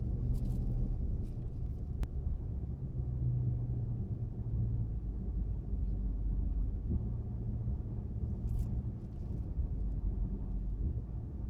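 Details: Chrysler 300 SRT Core driving tight circles at about 15 km/h; low steady droning, rotating howl at low speed in the turn; owner asks whether rear differential or something else; howling noise when turning.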